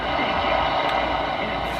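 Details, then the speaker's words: Restored 1946 Packard car radio tuned off station: only normal, even AM background static with zero vibrator hash or buzz from the replacement vibrator chip; earlier units had slight buzz, this one is silent. "You know, that's normal AM background static, but zero, and I mean zero vibrator hash."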